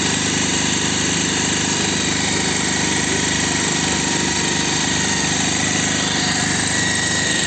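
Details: Bajaj Pulsar 220F after carburettor setting to cure missing at low rpm: even, fast idle beat holding steady without surging or dropping out; firing cleanly, idling normally.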